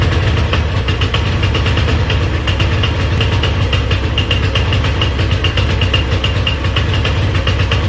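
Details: GY6 Chinese scooter single, damaged by too much oil, on a new test spark plug, pinned wide open: rough, weak drone with no pull, barely alive; dies immediately when released. Owner says badly low compression, top-end rebuild needed.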